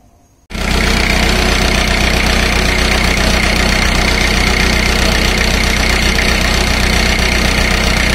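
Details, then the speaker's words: Four-cylinder diesel, rpm read by a digital tachometer off a reflector on the flywheel: it starts and holds a steady even idle of about 928 rpm with no misses; cylinder drops are close together, and idle should be raised to about 1,500. "i have i should have increased the engine idle rpm to somewhere around 1 500 for smooth operation"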